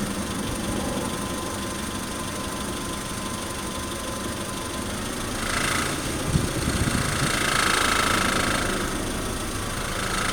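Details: 2003 Honda Civic EX petrol engine at low RPM under light throttle, slowly accelerating or decelerating: loose, uneven rattle over its steady rumble. Owner asks what the noise is.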